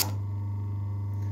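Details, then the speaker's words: Century repulsion-start induction-run 1/4 HP motor, roughly 100 years old, cleaned and serviced, on 230/240 VAC with no load: comes up at once to a steady even hum, no clicks or growl; about 3.5 A starting, 1.5 A running; healthy. "so what did that go up to i think it was i didn't quite catch that but i think it was about three and a half amps or something like that which is um very modest really for a motor that's that's starting"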